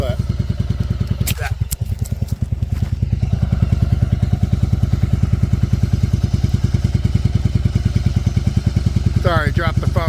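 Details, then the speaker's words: 1994 Yamaha Virago 750 V-twin chopper after fixing the vacuum leak that made it climb to 3000 rpm: even, steady idle near 1000 rpm with a regular loping beat and no hunting or surging. "now you can see she's idling right around the Thousand like she should exactly what I wanted it's amazing how just a little vacuum leak like that can make your bike run so bad"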